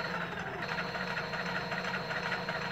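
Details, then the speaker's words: 500 W Bafang geared hub motor from an Addmotor Motan 20-inch fat-tire ebike, run by shorting the throttle control: steady motor whine with a rough, uneven rattle underneath. The clutch assembly is worn out; being replaced with a 750 W motor. "the one that was on here when I spun it like this made a noise you could hear it the clutch assembly on that other one is shot"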